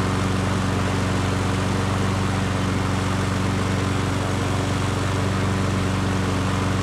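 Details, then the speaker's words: Nearly new Yard Works self-propelled push mower, wrongly claimed seized: even, steady single-cylinder drone at constant speed, no knocking or rattling; normal running. "so there you have it guys um I had to adjust the cable here for the self-propelled system once I did that and the self-propel worked perfectly"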